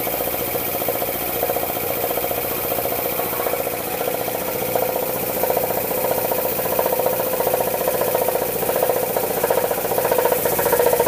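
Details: Air compressor pump, building toward 40 PSI: steady chugging at about 150 beats a minute with a hard clack from one cylinder on each stroke under pressure; owner suspects piston slap or a bad piston ring, unconfirmed.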